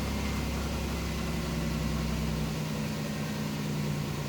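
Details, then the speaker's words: 1987 Chevrolet Celebrity Eurosport with 235,000 miles, idling after replacing the dash cluster bulbs: an even, steady hum that settles after a couple of seconds, with no knocks or misses. The check engine light went out and it runs well. "really runs well for 235 thousand miles"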